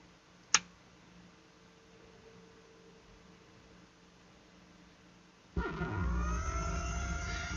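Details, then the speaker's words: Taramps MD12000.1 0.5-ohm car amplifier under repair, an overheating component already replaced but still not working: near silence, then a sudden low rumble with falling whistling tones in the subwoofer at switch-on; an abnormal turn-on noise, fault not yet found. "fait un Dr de bruit quand il s'allume qui devrait pas dans le sub je sais pas si vous l'entendez"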